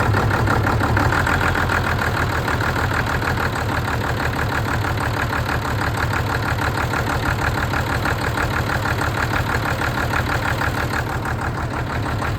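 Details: Ford tractor diesel, which had revved and died and then would not bleed, now running. Steady clatter at about three beats a second, no misses or hunting; healthy, smooth running.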